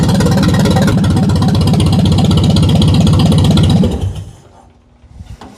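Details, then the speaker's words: Barn-find Ferguson TO-35, formerly seized engine, first start, no exhaust fitted, governor faulty: loud, even steady beat for about four seconds, then clean shutdown; engine sounds healthy. "It sounds great with no exhaust on it. Nice. Wow. That sounds surprisingly healthy."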